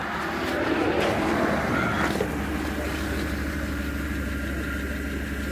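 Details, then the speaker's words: 2007-2014 Chevy truck/SUV over 150,000 miles, first start after fuel system overhaul for a broken evap canister leaking charcoal into fuel lines and tank: catches and settles to a steady even run with a brief rev, no stumble; believed fixed. "All right, we got her off the jack stands, off the ramp, and we're about to crank her up for the first time."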